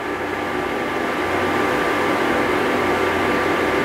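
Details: Induction cooktop at 600 setting with four-minute timer, boiling water: steady even fan rush with faint electrical hum, no rattle or surging; normal operation.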